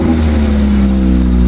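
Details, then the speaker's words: Mitsubishi engine brief rev after door lock motor and alternator bracket work: short steady rev with an even smooth drone, no knocks, rattles or misses; engine sounds healthy, just needs cleaning out. "it definitely sounds good though just needs to be cleaned out"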